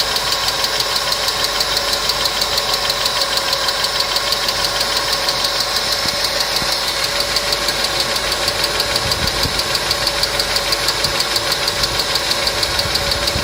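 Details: Customer's engine at idle with noisy hydraulic lifters, started after an additive was poured in, which later cured the noise; steady light ticking about three per second over even idle, hydraulic lifter tick.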